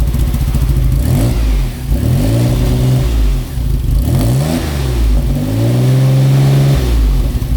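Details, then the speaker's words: Maserati 4.24V 2.0 V6 Biturbo under restoration, after muffler repaired and some rock wool removed: engine catches and blips up and down cleanly several times with no exhaust ticking or puffing; leak gone, normal running. "nó sẽ ít gây ra tiếng ồn hơn so với trước đây tôi đã loại bỏ một ít len đá nhưng vì trước tiên không có rò rỉ nữa nên nó phải ít"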